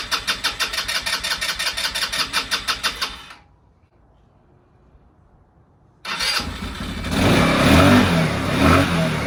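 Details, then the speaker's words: 2015 Tao Motors Snow Leopard 200cc snowmobile, first start after sitting on a pallet for seven years, oil checked full: steady cranking at about three strokes a second, a short pause, then it catches and settles into an even run. "there we go this is really cool all right okay so it starts now"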